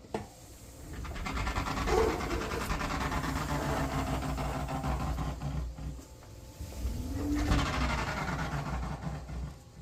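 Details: Electrolux dryer running: uneven rubbing and thumping over low drum rumble, about four per second; something dragging inside, cause unclear.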